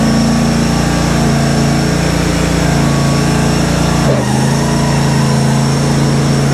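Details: Kohler twin-cylinder engine on a Simplicity Stallion zero-turn after head gasket and carb work, with a new muffler fitted. Runs steady and even with no knocks or misses; slight whooshing, leak-down test planned.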